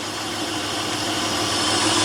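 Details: 2004 Honda Pilot at rough idle after fuel pump replacement, miss developed after sitting: uneven low thump that stays the same when a coil is pulled; one cylinder dead, traced to a failed injector, not coils or plugs.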